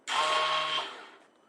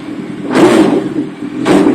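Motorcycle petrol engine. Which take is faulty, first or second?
first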